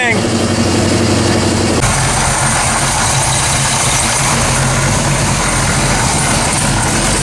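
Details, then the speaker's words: 1979 AMC AMX, AMC 304 V8, headers freshly wrapped: deep even idle with steady lope, no exhaust ticking, 70 psi oil pressure; header leak gone, healthy idle. "i don't hear any more ticking that's a good sign 70 pounds oil pressure that's a good sign"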